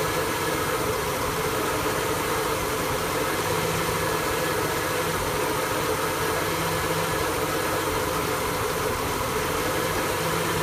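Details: 1974 F100 V8 with an EFI swap at constant idle with a lumpy, uneven beat underneath and no clear ticking; the idle is rough, cause not evident.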